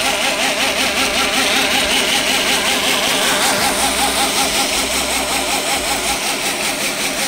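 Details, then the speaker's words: Reeder 2x72 belt grinder with a 2 hp Hallmark AC motor on a KBAC-27D VFD; the motor is temporarily unmounted. Steady hum with a regular warble about 2.5 times a second at low speed, easing at higher speed. Owner unsure whether the motor, VFD or belt is the cause. "vibrating for a time that I don't know if it's a motor or is a VFD you have these temporary down there I've haven't mounted it yet but you can hear it I know the part of that could be the belt"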